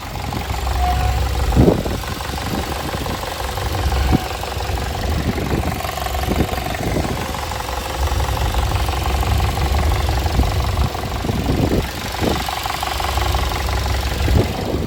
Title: Timing chain rattle 2016 VW Jetta